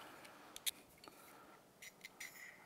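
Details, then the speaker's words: 2015 Polaris RZR 900S running on one cylinder, removed fuel injector tested with carburetor cleaner: short sprays hiss with only a stray tick, no steady clicking; dead fuel injector (not clicking). "yep thought I heard it click one time but she is not active so there that's going to be our problem"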